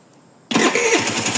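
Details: 80cc two-stroke scooter fitted with an Alfa carburetor, no air filter, cold early-morning start on choke; catches at once and settles into a fast even idle; normal cold start.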